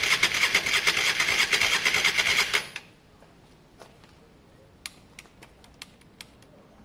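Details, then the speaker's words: Honda Varadero 125 on stand with a bit of choke, cranked during spark-issue diagnosis: starter spins engine quickly and evenly under three seconds, no catch; not using fuel, battery dying; carb clean still pending. "it really did sound like it was on its way it's not using any fuel at all the pipe is still fall"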